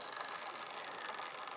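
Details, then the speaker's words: Wrenn 08 shunter model locomotive after strip-down and clean, on a rolling road with ammeter, run about as slow as possible without stalling: faint, even motor hiss and light buzz, drawing 1/4 amp; smooth slow running, though magnet suspected a bit tired. "I'll knock it back. It's about as slow as I can get it without it stalling."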